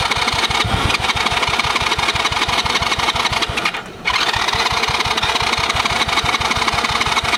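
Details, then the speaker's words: Cheap Chinese kids quad that sat for years, spark plug just tightened, choke on: fast cranking about three turns a second with odd weak catches, never runs; very old stale fuel blamed, plan to drain fuel and clean carb. "Choke on. A little bit of something. Could be perfect. A lot of good. A little bit of something there."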